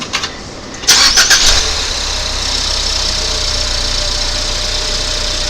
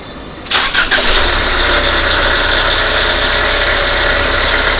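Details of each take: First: 2019 Ford Fusion 2.0 with the belt taken off: brief crank then smooth, steady idle, the earlier noise gone — normal idle, no rattle. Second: 2019 Ford Fusion 2.0 starting and idling: busy metallic rattle from the defective alternator riding over the engine; belt removed to compare, alternator replaced.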